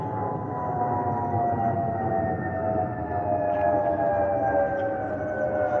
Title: Delta Airlines Airbus A320-212 N342NW DL2498 LGA-DTW (FOPP whistling sound)